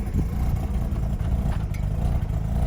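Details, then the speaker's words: Mazda RX-8 bridgeported rotary on stock, untuned ECU, after the idle fix: deep, choppy idle that lopes and pulses unevenly but keeps running; normal lumpy bridgeport idle, not a misfire, ECU just can't manage the ports. "sounds like a misfire no misfire the computer just doesn't know what's going on"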